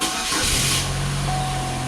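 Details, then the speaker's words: 2004 Oldsmobile Alero 2.2 L, about 200,000 miles, after repairing corroded engine ground wires and stud that caused intermittent crank-no-start with missing injector pulse: cranks briefly, catches right away, settles to a steady even idle. "okay that's good i'm confident this was the problem i'm not going to pursue anything else"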